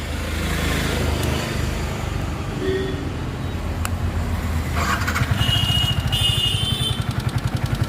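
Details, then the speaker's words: Yamaha R15 V3 motorcycle at idle: a light, quick ticking over a steady low putter; mechanic first suspects loose rockers, unconfirmed; engine ticking at idle. "तो ये कुछ गाड़ी की engine की आवाज़ है ऐसी। तो इसके लिए हम सबसे पहले इसके रॉकर चेक करेंगे, कहीं ऐसा तो नहीं है कि इसके रॉकर लूज़ हैं।"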